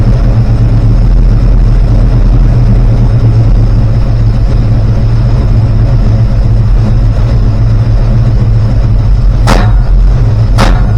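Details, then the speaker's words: Rebuilt 360 V8: deep lumpy idle with sharp pops near the end; hesitation and exhaust popping persist from 5° to 30° advance and leaned carbs, plugs caked, suspected unburned fuel, unsolved. "I'm still getting the hesitation and pop pop pop and uh it didn't matter what I had it right down to 5° or right up to 30° Advanced"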